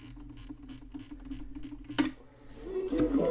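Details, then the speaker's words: Montgomery Ward Airline GEM-1983B remote flip clock with GEN-155A receiver set to auto: a steady train of light mechanical ticks, then a sharp relay clunk as the alarm trips and switches the receiver on; working normally. "and it does so now it's control by the alarm"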